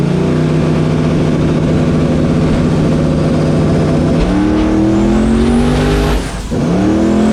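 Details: Mustang built for Pinks drag racing at Rockingham Dragway, test hit: hard pull with a steady note that steps up, then a brief stumble and dip on boost. Car shuts off every time under boost; suspected boost cut, unconfirmed, no log data.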